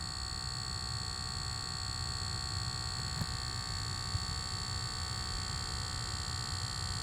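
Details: Lucid electric car: steady high-pitched electrical buzz with a faint hum underneath, constant throughout. It persisted after switching profiles and a first reset, and later stopped after a logo reset; source unidentified.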